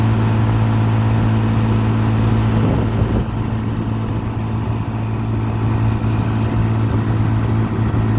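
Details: 1955 Johnson QD-16 10 hp outboard, rebuilt with new condensers, carburetor kit, water pump and seals, running in reverse: steady, even low hum, revs lifting slightly, no knocks or misses; normal running.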